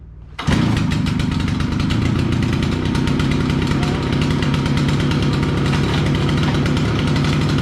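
Small two-stroke fires up at once and settles into a steady, even buzz with no misfires or hunting; running normally.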